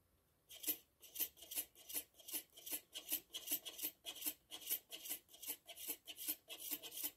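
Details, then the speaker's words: Lenovo Z51 laptop hard drive makes quick, crisp clicking ticks about three times a second while idle at 100 percent disk usage; the drive is going bad and is being replaced with an SSD. "so basically the hard disk is showing signs that is going bad and i will replace it with an ssd"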